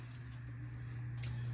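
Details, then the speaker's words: Bathroom exhaust fan after rewiring its switch, which previously wouldn't turn the fan off: steady low even hum with no rattle or scraping; fan running normally. "now you can hear the fan is running by doing that"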